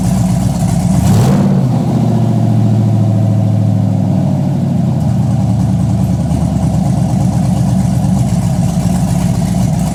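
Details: Chevy Blazer cammed V8 on open headers, first start-up, headers hot: loud rumble with a rev blip, then rhythmic lumpy lope at idle from the cam; idle drops slowly after pedal release; running normally.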